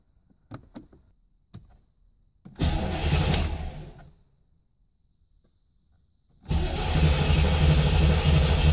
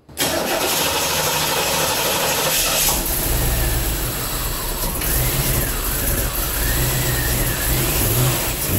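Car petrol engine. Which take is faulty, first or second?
first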